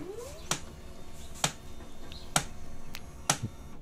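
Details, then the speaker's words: HP LaserJet 136w laser printer at power-on: sharp loud clicks about once a second over faint whir; hardened waste toner binding the drum unit of the 110A cartridge. "जैसे हम own करते हैं तो यह आवाज आ रही है इसमें"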